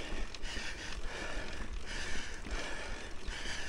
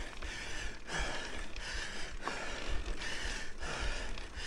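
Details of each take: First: Mountain bike on a steep climb in the lowest (easiest) gear: rhythmic light clicking about once a second as the chain rubs its guide. This is a normal signal that the rider is out of gears. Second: Mountain bike climbing a long steep trail in North Carolina: a regular dry click about every two-thirds of a second with pedal strokes as the chain rubs the chain keeper, set up on purpose to signal the rider is out of gears.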